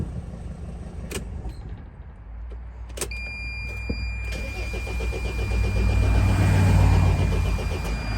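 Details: 2003 Dodge Sprinter diesel, hot: steady starter cranking at about four beats a second that swells but never catches; starts only with ether, owner suspects injectors leaking off too much fuel for the high-pressure pump. Cause suspected, not confirmed.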